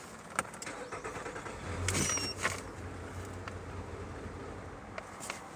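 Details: 2014 Nissan Altima with P0011 and P0014, rough idle and stalling; starter cranks and the engine catches for about a second, then stumbles and dies, traced to stuck variable valve timing control valves.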